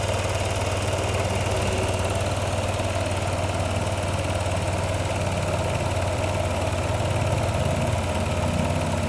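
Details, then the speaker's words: Yamaha NMAX 155 V2 after ignition coil replacement, fitted with a manual IC and idle adjusted: steady, even low putter at idle, smooth with no misses; idle speed set correctly. "Pagkatapos ko nakuha ang tamang idle ng motor, nag-drain ako ng coolant dito sa makina."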